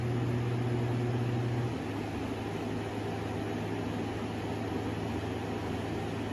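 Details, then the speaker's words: Air conditioner unit just kicking on: even fan rush with a low droning hum dropping to a lower note after about two seconds; lights not flashing; owner suspects low Freon or a dirty filter; unusual running noise, cause unknown. "That's weird. Nothing is going on with the lights right there either. I know they look like they're flashing, but actually they're not. Let me see here. Let me move this. See? That's super weird. It sounds like something's trying to activate in there, like maybe it's out of Freon or something."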